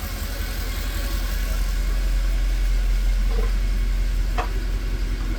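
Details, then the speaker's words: Mercedes E63 AMG V8 at start-up after wiring harness work, lumpy uneven stumbling idle with scan tool already showing misfires on cylinders one and four, cylinder misfire at idle persists, cause still unknown. "Start up. We already have two misfires on one and four."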